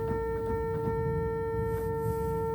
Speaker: There's not really much I can do about a cipher. It's a sticking note.